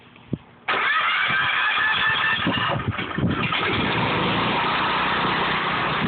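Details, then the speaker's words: Residential standby generator setup with a transfer switch and a load bank set to a 10,000-watt load; the generator works harder to supply it. The engine fires at once and settles into a smooth, even run with no knocks or misses: normal running. "I set a 10,000 watt load to the system, you'll hear the generator start working harder to supply power to the system."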